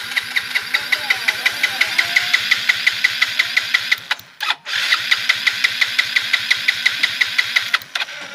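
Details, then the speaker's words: Yamaha Mio J fuel-injected scooter with new non-original injector that sprays continuously at key-on: two long cranking bursts at a steady starter rhythm, no catch either time; hard starting, though fuel pressure still above 40 psi. "memang susah nyalanya susah dan tadi sebenarnya sudah sempat menyala"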